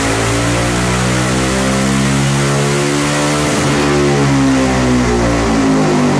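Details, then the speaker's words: Yamaha Raptor 700 single-cylinder ATV after tuning: strong beat rises and settles smoothly through throttle blips, no popping, hesitation or stumbling; engine runs clean and healthy. "Sounds so much better though. It's not popping, it's not going crazy, it sounds healthy."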